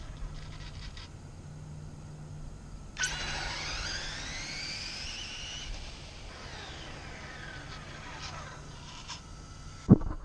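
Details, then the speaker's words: HPI Blitz RC drag car launch after tightening slipper clutch nut on spur gear half a turn: quiet hum then sharp launch with clean whine rising smoothly, no slipping; much better than the loose setting. "was definitely a lot better I'm gonna try it again and see if it'll duplicate it"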